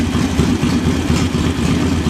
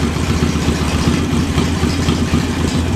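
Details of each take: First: Carburetted engine at normal idle after installing a JS flatside carb and setting the idle mixture screw about 1/4 turn out; revs up and settles back to a steady, even idle with a regular low pulse, no stumbling or hunting. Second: JS flatside carburetor on a small engine, idle mixture screw fully closed: loping, stumbling, uneven idle from an over-rich setting that smooths out once the screw is opened about 1/8 to 1/4 turn.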